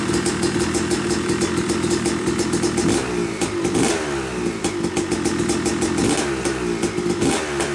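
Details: Yamaha YZ250 two-stroke motocross bike (250cc/270cc) after year-long full engine rebuild (bottom end, transmission, bearings, clutch, power valve), first start-up after a few kicks: crisp ringing crackle blips up and down, settles evenly; break-in smoke normal; healthy running.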